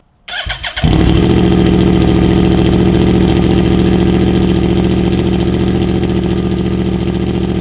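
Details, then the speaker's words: Yamaha R1 (Big Bang) with stock exhausts' silencers removed, cat still in the Y-pipe, cold start: brief stumble then very loud, raw rapid pulsing idle; loud exhaust with silencers removed. "That is completely insane. I really do wish I could run it to sound like that pretty much all the time, but even at idle, because it's still cold, it's probably a bit loud."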